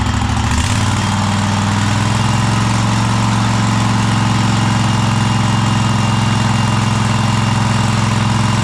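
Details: Cub Cadet Super LT1554 with a 27hp Kohler V-twin, 500+ hours, just reassembled after head gasket replacement, burning off oil: steady even drone that stays low and never climbs at full throttle; won't reach full rpm, adjustment suspected.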